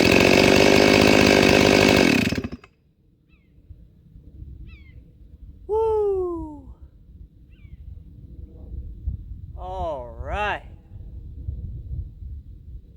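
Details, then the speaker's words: Ported Stihl MS441C-M chainsaw after M-Tronic solenoid swap; strong, steady high-revving scream at full throttle for about two seconds, then clean shutoff, running as it should though chain needs work. "well that is so much better holy crap the chain not so great uh it definitely needs some work so she that's how it's supposed to run that is how it's supposed to freaking run"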